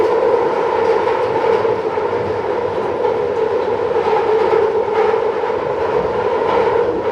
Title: London Underground Central line screeching noise (Headphone warning)